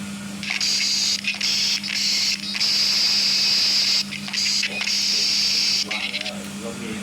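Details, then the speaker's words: Thai water pump runs without cutting off; steady high-pitched hiss, breaking off briefly, heard through a wall from a pressurised water pipe leaking inside, behind a tiled bathroom shower wall. "เคสนี้ลูกค้าแจ้งมาว่าปั๊มน้ำทำงานไม่ตัดเลยนะครับแล้วก็มาตรวจเช็คแล้วได้ยินเสียงประมาณนี้"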